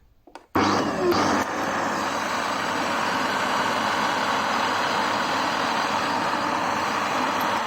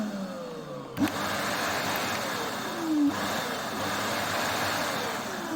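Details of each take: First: Vacuum cleaner motor with scattered (failed) bearings, balls found fallen inside; harsh rasping grind and friction with crackling, burning smell reported while running; bearings to be replaced. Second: Arnika vacuum cleaner, about 3-4 years old, after replacing failed motor bearing that caused crackling noise and burning smell; motor now spins up with clean steady whir, no grinding, repaired.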